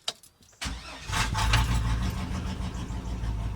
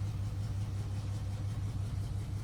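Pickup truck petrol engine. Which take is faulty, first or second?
first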